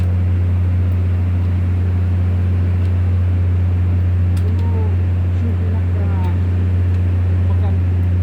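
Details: Volvo TWD1463 GE diesel generator at constant speed: loud steady drone with faint uneven pulse about two and a half beats a second; misfire.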